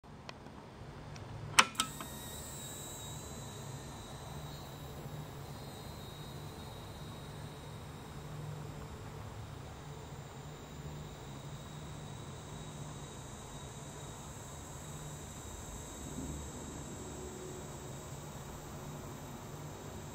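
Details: Sega Saturn Model 1 with rolling horizontal lines on screen; steady even hiss with a faint high whine from the console's power supply.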